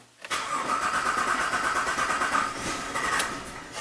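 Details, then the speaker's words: Jeep Liberty after engine swap and cam gear replacement, battery voltage possibly low; starter churns steadily about three turns a second with a faint stumble, almost fires, sync held, later P0340 no cam signal code; crank no start. "oh oh oh it sounded a little better than last time it almost fired up and the sink we're not losing the sink"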